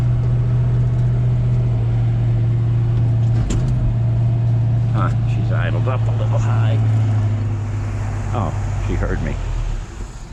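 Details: 1965 Mustang stored 4 months over winter, air filter off: the engine runs steady but fast with a deep even drone; high idle right after a cold start.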